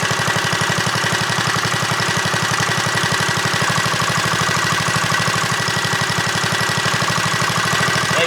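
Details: JCPenney Bird minibike small single-cylinder engine after choke and a slight carburetor screw adjustment: quick, even putter at about four beats a second, steady and settling; normal healthy idle.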